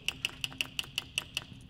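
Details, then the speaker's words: AIM Command electric nozzle solenoid on a Case IH 3320 sprayer during winter maintenance test: crisp, evenly spaced clicks about five per second, sharp and clean with no buzz or drag; solenoid pulsing normally. "you can hear that one go that's a good"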